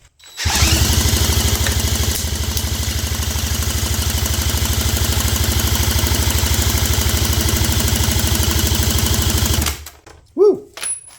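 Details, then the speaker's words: 1972 Johnson 9.5 hp two-cylinder outboard found abandoned, during compression test: steady even cranking chug about three beats a second for nine seconds; cylinder one about 85, cylinder two 80, fairly balanced. "Yeah, I don't think the first one was actually quite at 90. I think it was 85ish. And this one's at 80."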